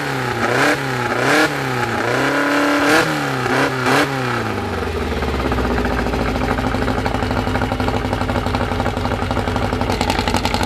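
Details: First start of a newly built 2054 engine (Fusca): after a loud horn fades, a steady, even fast idle, faint gear whir; healthy.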